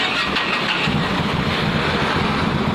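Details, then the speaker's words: Big motorcycle, possibly a Harley, with an MP1 Super alarm disarmed back to neutral: the engine starts and holds a loud, even, thumping idle with no misses or mechanical noise. Normal start and idle. "Matikan, maka netral kembali dan motor bisa dihidupin secara normal."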